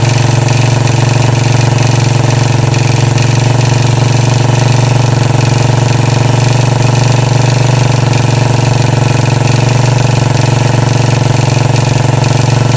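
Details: 2013 Royal Enfield Classic 500 single, first idle after engine teardown to remove stray M5x35 bolts, oil level okay: decompressor noise gone, but a fast rhythmic rattle rides each thumping beat, source unclear; tappets and rockers to be checked.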